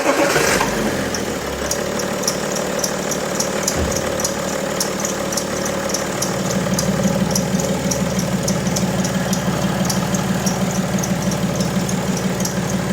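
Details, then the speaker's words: BMW E90 325d/330d M57 diesel idling, accessory belt squealing when cold: spraying water on the belt removes the faint chirp, and a louder rhythmic flutter appears, typically tensioner bounce. This indicates a belt-related noise. "Bueno no sé si se aprecia bien el vídeo pero el grillo ese fino que sonaba previamente al mojar la correa desaparece aparece otro ruido mucho más notorio que normalmente suele ser de rebote del tensor"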